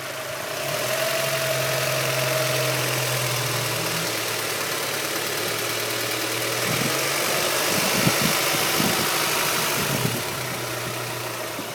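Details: 1998 Honda Prelude 2.2 H22A5 petrol engine, 95k miles, at idle: busy, rattly ticking over a steady low hum, plus a few clunks, despite valve lash already adjusted and an oil change; owner suspects the LMA, a failing tensioner or bent valves.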